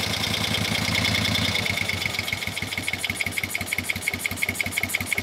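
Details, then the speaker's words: 1971 Moto Guzzi Ambassador during a tune-up: lumpy, loping idle with irregular exhaust pulses. One cylinder does not run as well as the other and the cylinders sound unbalanced; cause not confirmed. "man that cylinder just does not like to run as well as yeah okay now not bad still running a little better on that side"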